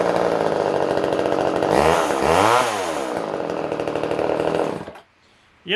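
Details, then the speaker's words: Older Poulan Wood Shark chainsaw screams at high revs, surges and sags, then cuts out within seconds, running lean; only runs on choke siphoning fuel, jet adjustment does nothing, owner suspects it needs a carb kit. "what it's doing is when you choke one that way and it gets enough of a suction it can actually Sion fuel through the vuy um from the tank believe it or not"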